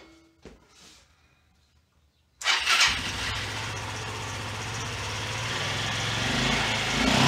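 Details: 1993 Yamaha Riva 125 (Beluga) scooter after oil change and air filter clean: quiet, then starter catches and the single settles into a steady, even idle with no knocks; healthy engine.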